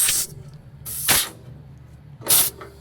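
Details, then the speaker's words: 1988 Witzco Challenger RGN trailer air system, tested with a screwdriver at the gladhand: three sharp bursts of hissing air about a second apart from the supply line, fed when the dash button is pushed in; normal trailer supply air flow. "This is the one when the button's pushed in on the dash, supplies air to the trailer."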